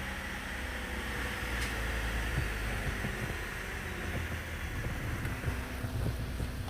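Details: 2012 Cadillac CTS, after a no-crank/no-start fault was traced to a loose, untightened fuse box: a steady, even idle under outdoor wind noise with no misfire or knock; the engine is running normally.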